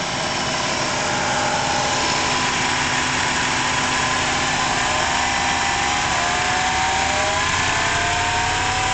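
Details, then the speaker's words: 1994 Buick Roadmaster LT1 with A/C running (suction 30, high 150, ice cold): rough growl and whine rising with raised throttle; mechanic's stethoscope says compressor itself, not main bearing. "So I'll increase the throttle a bit, you can hear the noise, and when it drops to 20, the compressor kicks"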